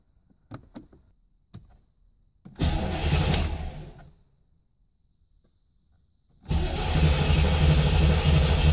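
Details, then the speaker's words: 1987 Chevrolet Corvette C4 that sat 25 years, with a new battery and security light off (VATS ruled out): a few clicks, then a steady churning crank about three times a second that never fires. Crank-no-start from a failed fuel pump. "I quickly realized VATS wasn't the issue when the security light was off and I was able to crank the engine. But it won't fire."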